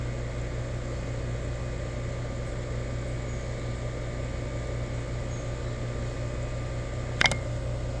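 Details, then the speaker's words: Rheem EcoNet 3-stage inverter system, new install, heard indoors as the indoor unit ramps up to high-stage fan: steady low inverter whine and hum, clean and even, no rattle or knock; normal, very quiet compressor ramp-up. "oh yeah we're definitely in high speed now in here going you can hear that whine of that inverter going really really not bad they're really quiet so"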